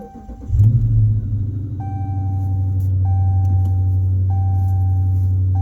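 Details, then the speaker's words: 2016 Dodge Charger, about 175,000 miles, after replacing transmission mount (front two motor mounts already done): starter catch, brief rev flare, smooth low steady idle with faint periodic chirp; shifting in and out of gear, seemingly much of the extra vibration gone. "Definitely seems a little better. I'm just moving it in and out of gear here. Seems like a lot of that extra vibration I had is gone."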